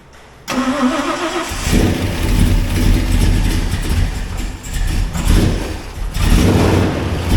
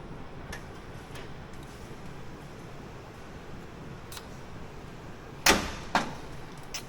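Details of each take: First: 1977 Ford Highboy after a 460 Ford V8 transplant, first startup in neutral: it cranks and catches right away, takes a couple of throttle blips, then settles into a deep, steady idle with no misses once the mapping sorts itself out. Normal start and idle. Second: 1977 Ford Highboy truck, first start attempt after 460 Ford engine transplant, battery showing only 11 volts; two heavy single clunks with no cranking; starter binding on flywheel ring gear.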